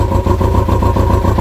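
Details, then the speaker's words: Kawasaki ZX-6R running for the first time in 10 years after carb cleaning, warming up with a direct fuel line from tank to filter. Steady, even idle ticking over cleanly on its own; slightly smoky but clearing. "I'm going to let it warm up for a little while, and that's ticking over on its own now."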